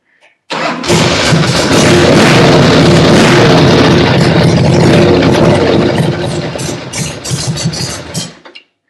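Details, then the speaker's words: Motorcycle engine rebuilt with powder-coated bored cylinders and Wiseco pistons, compression believed above stock 9:1, intermittent electric start: starter catches at once, loud even lumpy beat settles to smooth idle; healthy start and running, test ridden several times. "But anyway, sounds good. I've test ridden it several times."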